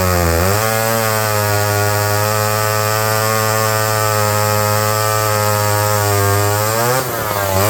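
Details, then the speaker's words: McCulloch 5-10E electric-start 70cc chainsaw, almost 60 years old, revived from locked up: two-stroke revs cleanly and holds a steady, even buzz while cutting, then drops back; runs normally under load. "it cuts the thing's almost 60 years old but it ran fine in there"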